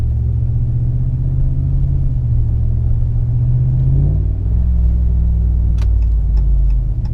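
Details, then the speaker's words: Dodge Ram 1500 5.7L HEMI with a Carven direct-fit progressive muffler: a heavy, booming low drone at gentle pull-away and coasting. It is worst around 1,500 rpm and fades by about 2,000 rpm, always loud, so the muffler is being removed. "So this is what I mean, it's just always loud. So if I'm just sitting here to stop and I go to leave, it's just always on. There's no off to this exhaust."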